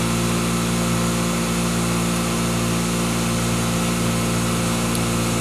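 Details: 2013 Riedel 6-ton chiller, one compressor running under light load with hot gas bypass capacity control holding setpoint; steady, even compressor hum, constant low drone, no knocks or surging; normal operation.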